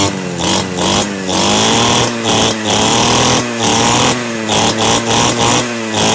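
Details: Model 411 two-stroke brush cutter, stored about a year and no-start, running after carburetor cleaning and spark plug check: high buzzy note dropping and picking up cleanly between blips, no misfire; runs healthy.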